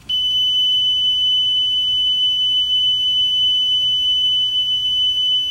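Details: Yamaha K520 cassette deck after speed adjustment, during flutter test; clean, steady high tone with no waver: stable tape speed, no flutter.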